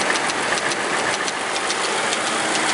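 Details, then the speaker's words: 2004 Mercury Mountaineer 4.6 V8 at warm slowed idle, mic close to engine: sharp light alternating slapping ticks five or six a second, not a solid lifter tick; loose timing chain, worsening, before teardown. "because a lifter would be a solid tick. This is alternating back and forth. So this is what I've got to deal with."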